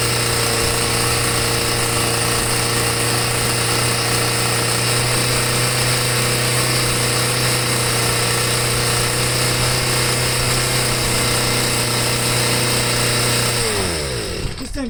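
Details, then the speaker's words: Stihl sweeper with MM55 engine fitted with a Hipa C1Q-S97 carburetor: two-stroke screams at high steady speed with throttle held open, no drop to idle, then dies; high idle caused by throttle cable backing plate bracket not seated in its notch. "okay so except for the mess up i did on this with the um with that backing plate it holds the throttle cable on it i didn't have it in a notch right three times"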